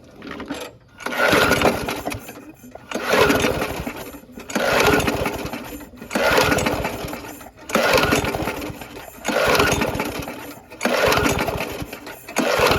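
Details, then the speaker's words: Abandoned Yard Machines (MTD) push mower, 4HP Quattro Briggs & Stratton, first start on two-cycle mix, oil in carb from tipping: rough bursts every ~1.5 s, catching then sagging; coil good, oil blew from exhaust, owner hopes not bad rings. "try some carb spray maybe there's a little too much oil all right well it run we got a good coil"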